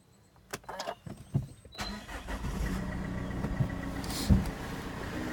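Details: Mazda 6 2.2 diesel after timing chain replacement, earlier rattle gone: engine cranks briefly, catches and settles into a steady, even idle with no ticking or tapping; slight idler/pulley bearing whine noted, otherwise healthy normal start and idle.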